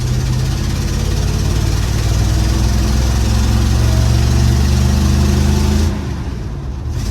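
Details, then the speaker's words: 1955 Chevy dump-bed truck, sat 23 years, small-block V8 (owner says old 350) with cherry bomb mufflers, driving: deep, throaty rumble pulls steadily then eases off, clean and even with no misses; normal running. "Yeah, I love the sound of this thing with those cherry bombs."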